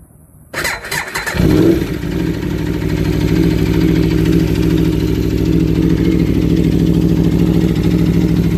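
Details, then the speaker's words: Warmed-up 2015 Aprilia RSV4 V4 with 4,600 miles: starter whirs, engine catches and settles into a steady, slightly lumpy idle with light even ticking; normal V4 valve noise, nothing wrong. "sounds right to me that's just natural sound from the v4 and from the Aprilia that we have so I just want to share my Aprilia sound just to prove that there's nothing wrong that's how it's supposed to sound"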